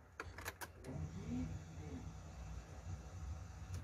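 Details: 2008 Fiat Fiorino Flex after fuel pump refill replacement (previously hard starting, loud pump noise near tank): a few clicks as key turns, then quiet even low hum for a few seconds; fuel pump primes normally.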